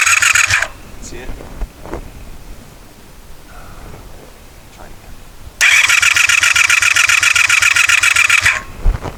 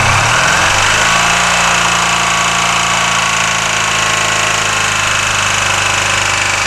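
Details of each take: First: 1984 Honda VF500F Interceptor after carburetor rebuild, fresh ethanol-free fuel, fuel pouring from carbs: two bursts of fast whirring starter cranking, never fires; crank no-start, spark plug wires possibly on wrong and a screw on a carb float bolt possibly loose. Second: 1984 Honda VF500F Interceptor, spark plug wires corrected and carb float bowl screw tightened, on choke with empty carbs: loud, rapid, even exhaust beat holding steady after a brief rise; runs as it should, though fuel then pours out.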